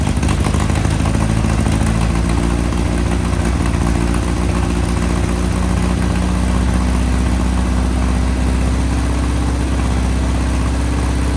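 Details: 1961 VW Beetle flat-four barn find, first start after sitting in a Texas barn, on a 6-volt battery: a deep, even burble climbs cleanly in pitch when revved, with no stumbling or popping. It runs clean and the pipes are hot.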